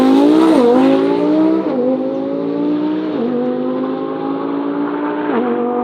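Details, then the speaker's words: Twin-turbo C8 Corvette with new setup on drag-strip launch: screaming engine, then revs jerk down and surge back repeatedly as the tyres hop; the transmission broke on the shift into second. "That doesn't sound good. Hey, wheel hop. Yeah, wheel hop bad, dude. Yeah, you click second and it went like that, and that's when it broke."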